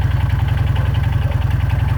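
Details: Jawa 350 two-stroke twin idling: steady regular heavy knock on every firing beat, worsening daily; owner suspects crankshaft and/or piston arm problem, unconfirmed, engine knocking at idle.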